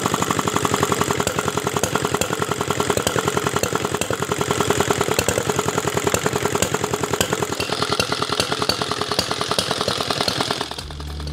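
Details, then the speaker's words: Diesel R175 single-cylinder after rebuild and bleeding air from fuel: clatters about three beats a second with irregular knocks, uneven with no steady throttle response, smoke from the crank hole; cannot be tuned smooth, running rough with knock. "tidak enak sekali ya suaranya tidak ada gas kontannya kemudian suaranya tidak rata"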